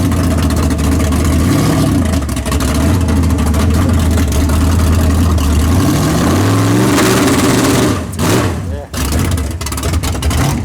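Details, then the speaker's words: Big-block Chevy race car after tunnel ram intake swap, timing locked at 32 degrees, transbrake run at track: loud lumpy idle then rev climbing and falling, even firing without misses or knocks, sounds better, running normally. "oh yeah yeah right all over it down man it sounds good though sounds way better i'm telling you right there"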